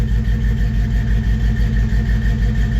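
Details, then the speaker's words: 1954 Chevy 3100 engine, after refilling radiator with water and clearing code with reader: even steady idle, about three pulses a second, no misses or stumble; all cylinders firing cleanly. "Yeah. That sounds really good. I like that."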